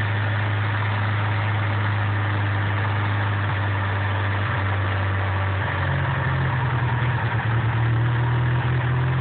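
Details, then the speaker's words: DSM turbo engine idle rising in pitch for several seconds when carb cleaner is sprayed, then settling back: big vacuum leak from an improperly sealed intake manifold. "Try this again. Pretty big vacuum leak, don't you think?"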